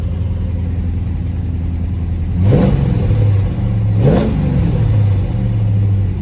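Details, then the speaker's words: 1971 Chevrolet Chevelle, rebuilt big-block 454 V8 (under 5,000 miles since rebuild, 76,977 on body), 4-speed manual, new Holley 4-barrel carb, MSD distributor and wires, new plugs: starts right up after 1-2 pumps, deep steady idle, two smooth blips; healthy. "4-barrel carb, upgraded ignition, huge fan, no overheating problems. Looks good. Looks really good. Okay. I'm gonna fire it up. All now. Right, key in the ignition. 1-2 pumps. Starts right up."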